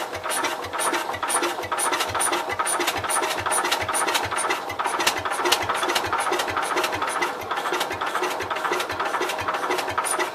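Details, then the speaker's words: Cub Cadet 122 garden tractor, clutch held down: slow, steady cranking about two beats a second with faint tries to fire that never catch; cranks but won't start, spark loss and leaking valves suspected. "So it's trying. It tried. Alright. I think we lost spark."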